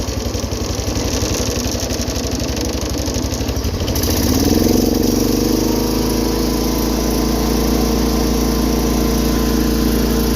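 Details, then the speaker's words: 210 lawn tractor after carburetor rebuild (leaking bowl gasket), throttle not adjusted. Engine revs up about four seconds and settles into a smooth, steady higher-throttle drone with no surging or misses; running far better than before. "Got higher throttle too. I didn't even adjust the throttle. It's already 1,000 times better."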